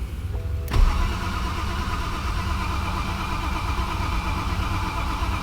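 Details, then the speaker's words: 2011 BMW 528i F10 N52 crank-no-start; steady fast cranking churn, never fires; DME (engine computer) draws nothing while cranking, not from water intrusion; possibly two faults. "I'm just going to hit the pedal and start the car hopefully and that is bad news that is bad news"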